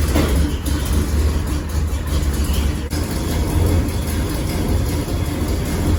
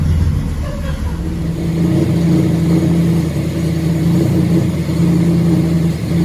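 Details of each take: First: 1979 GMC Caballero with big-block V8: loud, rough idle with deep throbbing rumble; series of exhaust leaks, header-to-exhaust donut joint so loose it moves by finger. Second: 1979 GMC Caballero big-block V8 after fixing exhaust leaks at the header-to-exhaust donut joint: steady rumble then hard revs, clean deep exhaust note with no ticking or puffing.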